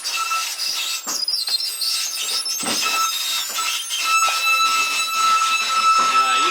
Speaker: can hear that whining because we need to get all of our slide outs lubricated.